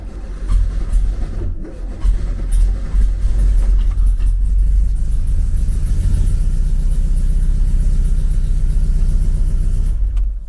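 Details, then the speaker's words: 1974 VW Beetle 1915cc on MaxxECU EFI, cold start after TPS calibration: engine cranks and catches with lumpy, stumbling low rumble slow to settle; rough cold start, owner suspects ignition timing too far advanced. "Okay. So, I'd be aiming for a better uh better start than that. To me, it sounded like the timing was uh too far advanced, like it kind of uh pulled back a little bit."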